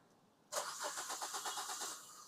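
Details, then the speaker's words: Maruti Suzuki SX4 cranking: starter spins engine evenly about seven turns per second but never starts, no check-engine light; crank no start from failed ECM, fixed by replacing ECM. "Engine यह घूम रहा है लेकिन car start ऐसा नहीं होगा।"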